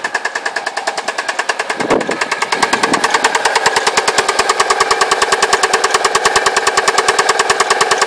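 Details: Alfa Romeo 147 2.0 TS that made a funny noise and cut out: a sharp, very regular knock about three times a second over the idle, steady throughout. Owner suspects big-end bearings or a pulley. Engine knocking.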